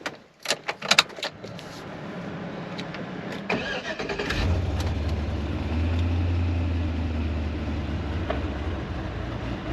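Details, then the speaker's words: Silverado 4x4 with a freshly swapped, previously rebuilt NV4500 manual transmission, about 40 miles on it: starts and settles into a steady low idle with a loose, irregular clatter of gears rattling inside the gearbox; metallic fluid and leaking seal noted. "The transmission does make some sounds. Uh, you can hear the gears clacking around in there pretty good."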